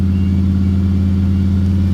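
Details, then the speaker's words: Car cold start with manual choke cable recently fitted, fires right up: smooth steady low drone held well above normal idle. Fast idle set a little high; choke stays shut when cranking and doesn't open. "I will say, like I've said before, the fast idle is a little high, but it does work. Pretty much fires right up though, don't it?"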